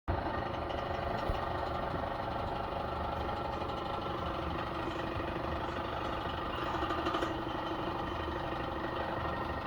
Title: why is my Maytag Maxima dryer making this noise?.